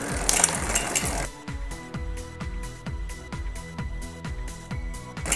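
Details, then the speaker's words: Niner Air 29in bike, rear derailleur upshift test while adjusting the barrel adjuster. Quick, light clicks as each gear engages and the chain settles cleanly and quietly with no grinding or chatter. Normal upshift. "That was good. And click up another gear. That jumped up nicely. That jumped up nicely. It's quiet."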